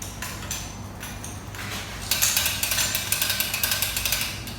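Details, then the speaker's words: Weather station outdoor sensor shaken after shipping: light quick metallic clicks about two a second from the rain collector's tipping bucket; normal rattle, product not damaged. "so it's from the rain collector it's all okay your products okay no problem"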